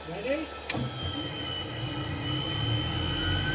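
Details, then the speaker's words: Abandoned British Mk13 Centurion tank, gun stabilization system on external main power: click, then a steady high metadyne generator whine with faint rising tone over low hum; generator spins up smoothly. "Going to start the metadine. You ready?"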